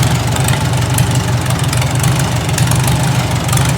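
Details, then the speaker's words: Farmall Super A tractor, readied for gardening season: fires right up, steady even low thrum at idle with no knocks or misses; normal idle. "Like a champ. Like a champ. Fire right up."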